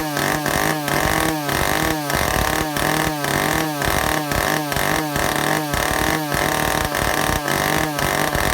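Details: Vintage Stihl chainsaw after air leaks fixed and fuel system repaired, test run with carburetor adjustments: high needle 3/4–1 turn out, low 7/8–1 turn out, target top about 10,000 RPM. Crisp, even high-rev scream, no bogging; runs well.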